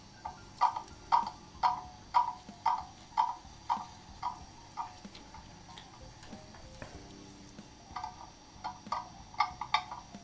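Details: German mantle clock that stopped after running down, crutch and pallets being adjusted: crisp ticks about two per second fading and returning unevenly; escapement not yet in beat.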